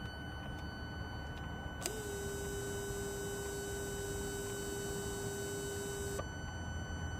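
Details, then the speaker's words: Opel Astra J 1.7 CDTi, auxiliary coolant pump feeding EGR cooler activated with diagnostic tool, phone placed near pump: faint steady whirr holding even pitch about four seconds then stopping cleanly; pump spins and works fine. "the pump is definitely is definitely working i can hear the pump uh spinning and when i put my hand on the pump um i can actually feel the pump rotating"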